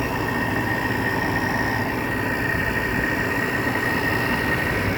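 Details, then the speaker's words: Window air conditioner on high fan, installed after the central AC's capacitor failed: steady even fan rush with faint constant high tone, no rattles or knocks, compressor barely audible; normal running. "And this is on high fan. Can't even hear the compressor. These units are just too These are just so quiet."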